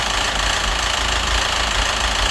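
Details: Citroën DS3 1.6 petrol engine at idle, fast even sharp metallic ticking; engine ran without oil, a part replacement didn't help; head or crankshaft suspected.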